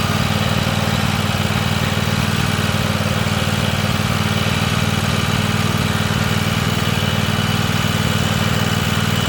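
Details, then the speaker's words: Free Weed Eater tractor's Tecumseh twin-cylinder (TVT691) on its first run after oiling the cylinders, new oil and oil filter, and refitting the plugs: it started right up, with a steady, even low thrum at fast idle, no knocks or misses, while warming up; normal idle. "That thing runs good. >> That started right up good. Yeah."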